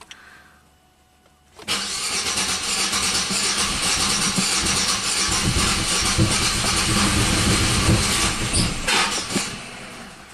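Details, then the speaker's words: 1997 Buick Century 3.1 V6, ICM reconnected and a pressure transducer in cylinder six: uneven, lopsided cranking at about four beats a second catches briefly then dies; dead cylinder from collapsed lifters. "it'll only run on um you know five cylinders out of six"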